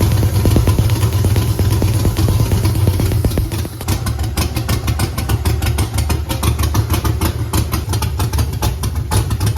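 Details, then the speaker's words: Camaro with Holley EFI 5.3 LS V8 at idle: rough, lumpy loping beat with stumbles; misfire, even coils have spark and coils not bad, but on the odd bank only number one fires, three, five and seven have no spark. "all right so these coils have spark all the evens do the odds not so much so number one has fire number uh three does not have fire number five does not have fire number seven does not have fire"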